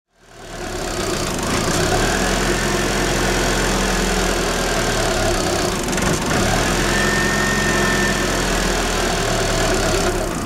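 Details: 1994 Daewoo Espero 2000 cc TBI automatic, cold engine: uneven lumpy idle with a dip as if about to stall, fault only when cold; ignition suspected, timing belt already replaced without change; rough cold idle.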